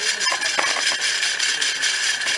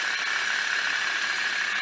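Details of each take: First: Ceiling fan, noise at every speed (low, medium, high) and either direction: harsh hissy grinding rattle with scattered irregular clicks; opened, found a broken ball bearing. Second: Ceiling fan after opening and repairing a strange noise caused by a broken bearing: steady even whir with no scraping, knocks or rattles; normal running after repair.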